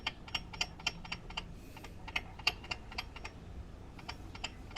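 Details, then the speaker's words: Yamaha Mio Soul i 125 scooter engine with hard starting when hot: sharp, uneven metallic ticks about four a second over a faint engine hum; abnormal metal-on-metal noise suspected near the tensioner, not the magneto, not confirmed. "Oops parang may naking dito ah Ayan oh kaya yun hindi normal Yung tunog na to inobserbahan ko yung tunog parang hindi naman sa Magneto nanggagaling parang dito sa may tensioner"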